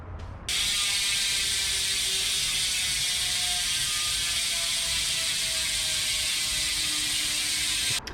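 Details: 2021 Trek Fuel EX 7 Bontrager Rapid Drive rear freehub with stock 54-point engagement, before the 108-point pawl upgrade: fast, even, high buzzing ratchet click, no skips. Normal freehub ratchet clicking.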